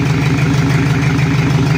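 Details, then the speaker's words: Toyota Kijang diesel burning oil with suspected compression leakage, at idle: an uneven, lumpy limping pulse with white smoke, a misfire. Nozzles tested fine; a valve guide or stuck valve is suspected, pending a compression check. "ada kendala tiba-tiba suaranya asapnya itu pincang dan putih biasanya itu dari nozel ini"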